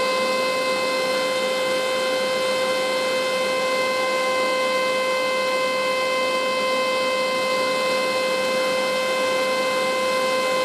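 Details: China 12V 4A turbo fan used as a lab exhaust fan: a loud, steady high whine with strong tone and overtones, holding one pitch like an air raid siren; loud blower whine, cause unknown.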